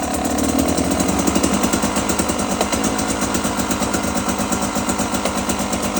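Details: Brand-new 2022 Beta 300RR two-stroke with about 10 minutes of use, revving with a fast, irregular light clap or knock at initial rpm but not at low or high rpm; cause unknown.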